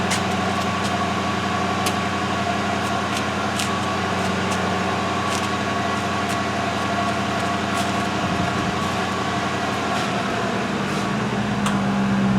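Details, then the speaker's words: 2005 Mercury Grand Marquis rear air suspension after replacing both rear air springs: even electric pump hum with faint light ticking and a shift in note near the end, quieter than before; compressor raises ride height and shuts off, no warning light; normal compressor operation. "Okay, false alarm. Before I changed these bags, I could hear the air pump. Of course, I destroyed my hearing a long time ago. I couldn't hear the pump. So it's actually working."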